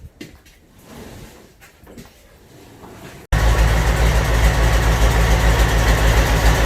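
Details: Land Rover 300Tdi diesel engine going into a Ferguson TE20 tractor, first start with 24 V to starter and 12 V to fuel solenoid, no exhaust fitted: loud, even open-pipe diesel clatter about 3.5 beats per second.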